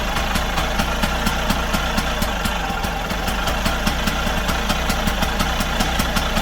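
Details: Vespa 50 Special, first start after 10 years with starting fluid: small two-stroke pops at a quick fairly even beat while fluid lasts; spark confirmed, fuel not reaching cylinder suspected, fuel hose seems too big and long.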